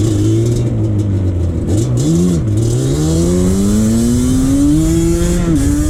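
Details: 2001 Yamaha Banshee 350 two-stroke accelerating on a POV ride after new clamps fixed an exhaust leak. Crisp, even buzz climbs cleanly through the revs with short dips at shifts, no leak sputter; normal exhaust under acceleration.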